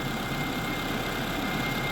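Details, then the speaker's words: 2009 Toyota RAV4 after replacing a noisy, coolant-leaking water pump and the tensioner, idling to warm up while the cooling system bleeds: smooth, even idle hum with no ticking, squeal or grinding; noise fixed. "we're going to warm the engine and let let the system bleed itself"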